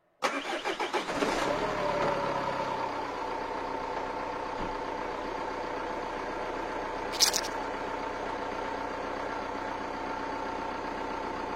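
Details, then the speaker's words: Engine start during a battery cranking test: slow starter drag before the engine catches and idles, with battery voltage dropping to 8.37 V. The tester shows 32% capacity remaining and says replace; the battery is end-of-life. "lors du démarrage moteur la tension de la batterie a chuté à 8,37 volts cette valeur est vraiment très faible et confirme donc que la batterie va être remplacé"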